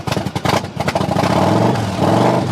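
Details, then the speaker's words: 2007 Yamaha V Star 1100 V-twin, cold start after purchase with fuel tap set to reserve (owner thinks fuel may be low): catches, revs up and settles into a steady, even lumpy beat with no knocks or rattles; healthy normal idle and revving. "Come on. It wants to run. [Music] It's cold bloodooded. It runs."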